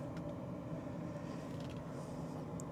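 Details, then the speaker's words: Old yellow farm truck that only clicks on start; cabin AC blower fan runs on battery power with a steady even whoosh and low hum, no rattle or squeal, working normally. "we got AC already blowing all our spider webs around just what we want"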